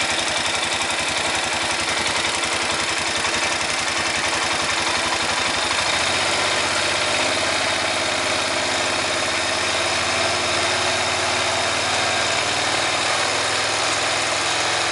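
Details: 2005 Honda Rincon ATV single-cylinder engine with 300 miles: idles and revs with a rough, gritty grinding over its note when throttled; cause unknown.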